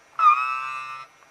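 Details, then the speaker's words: Toy penguin water-jet boat pump motor, once rusted solid, powered through a temporarily soldered replacement wire held on the battery terminal: a thin, steady high whine starts abruptly and cuts after a second. Motor running properly. "I'm just holding directly onto the battery terminal can you hear it it's working"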